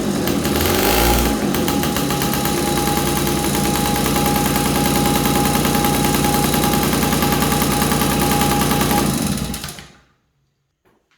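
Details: 1983 Honda QR50, 49cc oil-injected single-cylinder two-stroke with automatic clutch: buzzes with a fast, even crackle on choke for about nine seconds before dying away; running again once fuel flowed, owner suspects a blockage, possibly an air leak from a missing bolt.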